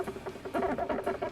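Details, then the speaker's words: Sega Saturn joystick worked back and forth during fighting-game play gives short high squeaks in quick bursts; the joystick squeaks in use. "this joystick has a little bit of a squeak"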